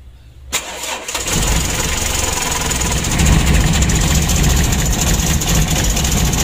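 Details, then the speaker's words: Mitsubishi L300 diesel, glow plug system modified: catches after cranking, then a low, uneven idle with a lumpy ticking beat and engine shaking; driver reported rough knocking sound and dropped idle. Clogged fuel filter. "dari keterangan supirnya itu mesinnya ya mesinnya suaranya agak kasar ngelitik dan juga stasionernya atau langsamnya turun mesinnya goyang begitu loh"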